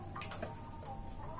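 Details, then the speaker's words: Newly installed gas water heater switched to LPG, purging leftover air from the hose: a few sharp, light igniter ticks in quick succession while the line bleeds. "kita lakukan yang namanya purging Hai kucing itu mengeluarkan sisa udara yang ada di Selang"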